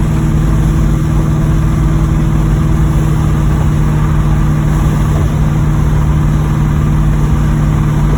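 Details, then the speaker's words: 1986 Monte Carlo SS V8 idling, driven about 3 days with suspected rod knock: a dull low knock pulses under the exhaust drone; bottom-end knock suspected, cause unconfirmed. "I hear the bottom end knocking in it."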